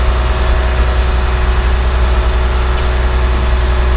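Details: John Deere 850J dozer diesel after second rebuild, run outside: steady, even low rumble with no knocks, ticks or squeals; idles cleanly, no leaks, all normal.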